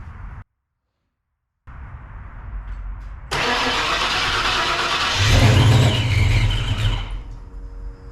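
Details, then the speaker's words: Supercharged 306 Ford Fox-body Mustang just fitted with Anderson N-51HR camshaft, first start: cranks, catches and runs rough and lumpy with heavy cam lope, sluggish to pick up; ignition timing set too low, to be bumped up. "so what we got the timing a little low so let me bump that up"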